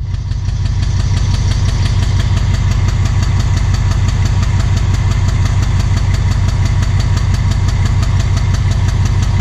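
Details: Alsthom diesel locomotive of Thai Railway idling with strange noise and black smoke: heavy loud idle with a deep regular knock about three beats a second; rough running, cause unknown.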